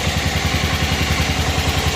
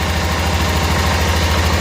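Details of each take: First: 1988 Club Car golf cart, 8.5 hp Kawasaki engine, barn find, idle lowered; engine runs steadily but an even clatter pulses two or three times a second over it, owner noting it runs smooth except for that; source unidentified. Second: 1988 Club Car golf cart, 8.5 hp Kawasaki engine, barn find; governor spring trashed, spark checker still fitted; even low putter holding a steady beat with no stumbles or misses, a clean healthy idle.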